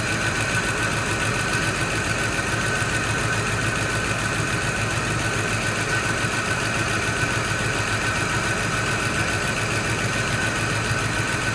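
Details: Fox Body Mustang V8, first start on a jump box after sitting: light, fast ticking over a fairly even drone as it settles; no smoke, front sounds off, owner suspects a dropped felt, cause unknown.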